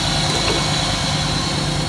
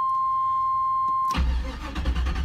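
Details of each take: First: 1992 Trans Am first start after sitting about a year and a half, fuel confirmed reaching the rail, with unburned fuel from long cranking: a steady, even, slightly loud idle with a low hum and no knocks or misses; normal idle. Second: 1992 Trans Am parked since May, fresh battery: warning chime, then about ten seconds of steady cranking with uneven catches that never fire; cranks but won't start; oil pressure gauge swings 30–60, owner suspects flooding or bad fuel.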